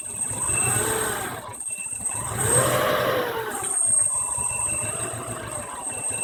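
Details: 1993 Subaru EJ22 boxer engine idling with a wavering, uneven note and a brief dip in level; rough idle, cause not pinned down.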